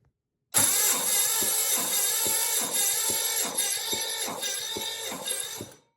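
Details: 1968 Firebird replacement engine, oil-primed, cranked with compression tester on cylinder 6 then cylinder 2; readings 150, 110, 150, 135, 160, 75, 140, 110: starter spins at about four beats a second with uneven pulses; low compression.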